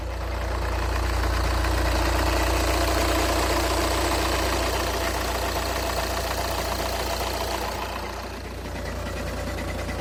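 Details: Cold-start knock on a Škoda (A5) 2.0 TDI 125 kW diesel, idling cold: a regular knock about twice per second over the low rumble, also described as a ringing; cause unknown.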